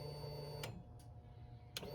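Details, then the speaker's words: Honda CRF300L dual-sport motorcycle with a dead battery after 20 jump-starter tests: two sharp starter solenoid clicks about a second apart over a low hum, with no cranking. "Hear it clicking? All right, I'm gonna disconnect. Did as a doornail, guys."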